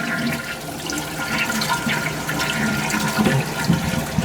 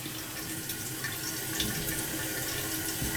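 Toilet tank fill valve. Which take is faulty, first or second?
second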